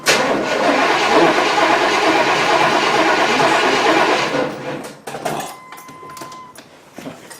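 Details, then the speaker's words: Vehicle with completely dead battery located behind seat and manual fuel pump, cold weather, jump-started with 2000-amp peak jump-start pack: about four seconds of brisk, even cranking then stops without firing; starter spins strongly. "Alright, it was cranking."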